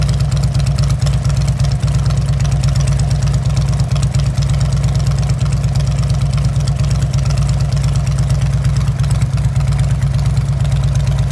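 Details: 2004 Harley-Davidson Road King, S&S 100in big bore with Rocket 584 cam, Screaming Eagle 103 heads and 50mm throttle body, started after being dropped: a big V-twin settling into a steady, loping, even idle with no knocks or misses; normal idle.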